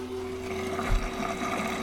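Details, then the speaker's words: LG front-load washer after drain pump replacement (4681EA2001T), on drain/spin cycle: low steady hum with faint watery gurgle, no grinding or rattling; normal drain pump operation. "as you can hear is draining the water and we happy happy wife happy life"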